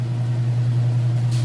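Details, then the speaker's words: Kenmore washer at full spin with a full load of test clothes: smooth, steady low hum holding one pitch with no thumping or scraping; spinning evenly and healthy. "Okay, and we are on the spin cycle. It's up to full spin. As you can see it here, it sounds great."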